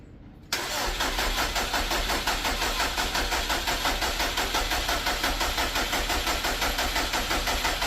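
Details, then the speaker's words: Subaru 2.5RS engine after rebuild, first crank after refit, starter had briefly jammed before: starter catches, then engine turns over in strong even pulses about three a second, firm compression strokes; normal cranking with good compression. "yeah yeah it cranked great so yeah sounds like it has compression"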